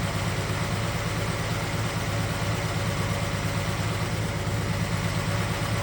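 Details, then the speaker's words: 1969 Chevelle SS big block, sat 37 years: low, lumpy idle with an uneven beat and periodic stumble, one cylinder not firing properly. Cylinder 3 exhaust only about 350° while others are hotter. Cause unconfirmed; owner suspects wire, carburetor, lifter or valve. "So we got one cylinder that seems like it isn't filled with heat as good as the rest. You can see the motor's not running near as smooth as it should, so we'll be back."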